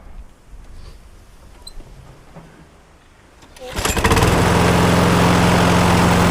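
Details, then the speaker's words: 2009 Viking petrol lawnmower that hit a chain pulley while mowing, then knocked and shook violently; bent crankshaft suspected. Fires and settles into a rough run with a steady shake of about four beats a second. Cause: damaged blade boss. "he hit a chain pulley and ever since then, it's been making a knocking noise and shaking quite violently."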